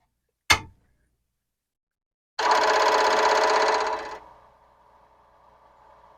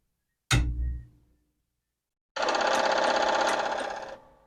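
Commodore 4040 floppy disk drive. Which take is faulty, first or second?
second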